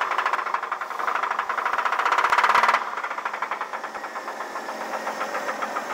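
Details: 1983 Chevrolet S10 4x4 2.8 V6 with rod knock on cylinder #1: sharp, regular knocking about four per second, loud over a quiet idle, easing slightly as revs settle; rod knock.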